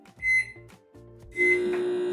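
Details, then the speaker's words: Philco PMS24 microwave tested on 220 V before magnetron terminal repair: keypad beeps, then a loud, harsh, steady droning hum from the magnetron, caused by a shorted magnetron terminal. "Esse é o barulhão que ele faz tá roncando o magnetron mais uma vez cancelando"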